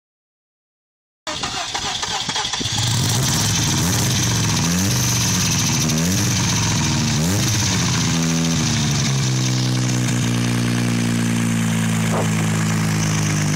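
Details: 1988 Mazda RX-7 with engine swap, first running after the swap: cranks, catches, a few rising and falling throttle blips, then holds a smooth, steady idle, described as idling high; only small issues remain, and the engine runs healthy.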